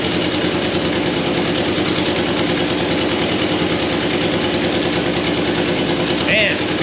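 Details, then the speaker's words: 1985 Nissan 720 4x4 ST truck at warm idle; an uneven, stumbling beat under the clatter, like a cylinder occasionally missing. Plugs not yet checked, so the misfire's cause is unconfirmed. "sounds like it has some missing. I haven't checked the plugs or anything, guys."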